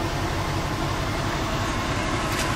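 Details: Older rust-free truck (needing A/C work before sale) running: even, steady engine rumble with no knocks, misses or squeals; runs smoothly and sounds healthy.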